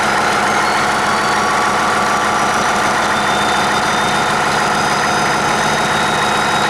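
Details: 1959 Caterpillar D337F diesel genset, stored in a barn 10 to 12 years, just started and resting at idle (needs the shutdown lever to stop). Steady, even diesel clatter with no misses or knocks: normal idle.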